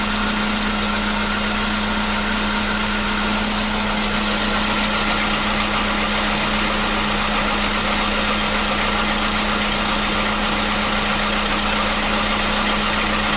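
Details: 2015 Volkswagen Polo Sedan, 76,000 km, with new battery, cold start: even, steady idle with smooth hum and no ticking or knocking; the previous cold-start engine knock is gone.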